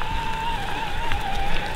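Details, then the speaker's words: 2020 Specialized Turbo Levo SL e-MTB while riding: a thin, steady high-pitched buzz over wind and tyre noise. It is normal noise from the lighter gear-driven motor, unlike belt-driven motors, and is not very loud. "there's one little thing I didn't like that much and that's the noise of the motor and it's not very loud but it's just kind of high-pitched buzz"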